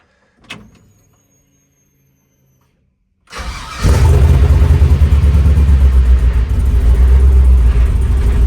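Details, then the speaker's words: 1967 Chevrolet C10 with LS swap, plugged fuel injectors from dirty fuel, cold start at about 60 degrees: catches after a short crank, then a heavy, lumpy low pulse that doesn't smooth out. Rough running at startup. "He is not happy. 200 Shut it off."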